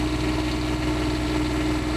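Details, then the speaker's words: Motorhome generator just after repair. A steady, even low diesel drone and hum with no knocks or misses. It starts fine and runs normally. "okay that started just fine"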